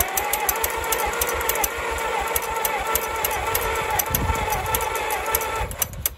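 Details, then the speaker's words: 1934 Allis Chalmers Model M crawler, 300 cubic inch four-cylinder, first start in over a decade, temporary ignition wiring to points and battery; even starter cranking, then a couple of sharp pops as it briefly fires and blows out oil; no exhaust fitted. "all right so we're pretty sure that this thing is gonna fire up where how confident are we pretty confident pretty confident we just blew out quite a bit of oil i don't know if we caught that on camera as that thing just popped right there"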